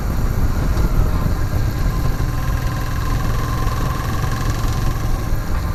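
Steady idle with a dense low rumble and a faint knock buried in it; something is knocking at idle, cause unclear.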